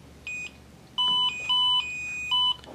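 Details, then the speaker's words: Battery-operated driveway monitor 4-channel receiver giving a clear chime of short high-pitched beeps; normal alert. "uble beep to let you know that it is connected to the transmitter."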